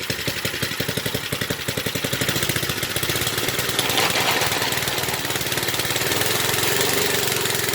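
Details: 1970s Briggs and Stratton single-cylinder rotavator engine, revived after about 3-4 years unused: crisp regular firing pulses picking up smoothly as throttle opens to full, no missed beats; runs healthy.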